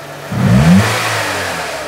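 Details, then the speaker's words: 2000 K11 Nissan Micra Sport petrol, warm, stored ten years, fresh fuel and cleaned fuel system: idle revs swell and sag on their own (hunting idle); diagnosed as needing a new throttle body. "There She Goes here's the surging Here Comes The Surge la la la la work damn you"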